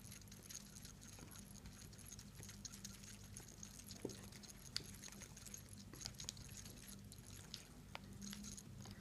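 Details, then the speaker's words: Seiko SNK809 automatic watch, 7S26 movement: faint irregular metallic clicks and rattles as the watch moves; rotor screw not fully tightened so rotor wobbles, could cause future damage, needs repair shop. "can hear that it's too much of noise because the router is not fixed properly inside of the watch"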